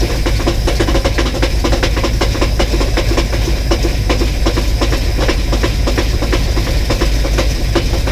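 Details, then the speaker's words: 1984 box truck first start on 15-year-old fuel, no oil gauge, exhaust leak present: loud rough running with a steady sharp knock, not like the exhaust tick; owner suspects cracked or loose flywheel or torque converter. "um it's got a little knocking sound it has an exhaust leak right here so it's gonna have a gonna have a loud tick but uh what I'm hearing doesn't sound like an exhaust leak tick it sounds like something like a flywheel like a cracked flywheel or a loose flywheel or torque converter or something like that"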